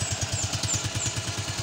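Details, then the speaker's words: Suzuki Smash 115 motorcycle, revived after months sitting, carb suspected worn, warm idle: sharp puffing tick about eight per second on the beat, exhaust leaking through a hole at a poor weld. "Merong singaw yung kanyang tambutso. Ayan yung merong butas. Hindi maganda yung pagka-welding ng kanyang tambutso yung dito sa kanyang exhaust."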